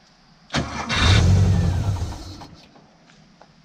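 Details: Porsche 914 on its first start attempt in years, fuel pump not heard kicking on: the starter churns the engine steadily for about two seconds without catching. Cranks but won't start, likely no fuel.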